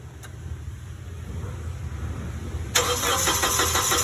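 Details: Forklift: starter cranks under three seconds, then the engine catches cleanly and settles to a steady, even idle with no exhaust ticking.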